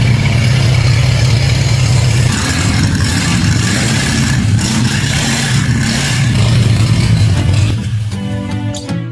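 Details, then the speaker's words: 1946 Plymouth P15 six after full rebuild with new pistons, rods, rings and bearings: low steady rumble, revs held then eased off, no knocks or ticks; running healthy. "Engine's running fine now."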